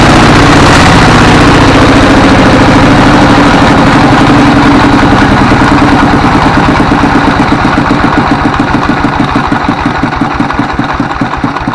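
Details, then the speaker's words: 24 HP single-cylinder diesel S1115: loud thumping about three beats a second, speed surging and sagging unevenly with heavy black smoke; governor fine, injection pump and nozzle suspected. "ini gasnya naik turun kemudian asapnya banyak baik ini akan kita kontrol bagian daripada kemungkinan adalah bospom nya dan novelnya"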